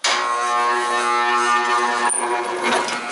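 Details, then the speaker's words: Scrapyard 40-42 inch belt-drive fan, capacitor-start motor: steady loud mains hum with a harsh buzz and no run-up, motor seized and straining; rotor suspected binding on the stator, kicks out on overheat. "rotor might actually be binding up on the stator a little bit huh"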